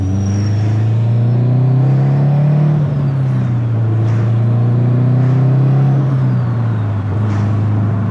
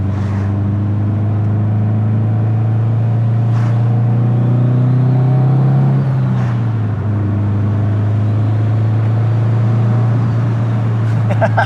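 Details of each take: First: Built 2005 Subaru STi on its first drive, breaking in a new clutch and flywheel: steady engine drone rising with throttle and a faint whistle as the turbo spools to about 1/3 psi of boost. Normal spool. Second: Built 2005 Subaru STi on first drive, under load as revs climb: deep steady drone with uneven, choppy pulse and loud turbo; rough running through the rev range, cause unknown.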